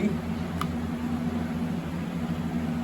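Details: Home furnace after replacing the bad blower fan motor, which had made a buzzing sound and let the flame shut off: smooth, steady low hum with no buzzing or rubbing, the blower running normally.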